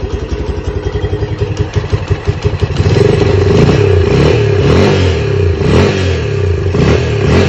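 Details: Lifan CityR 175, 10,800 km, cold, first start after a cylinder and piston replacement for a knock, carb flooded so it won't idle: even putting about three beats a second, smooth revs rising and falling, no knocking. Normal running.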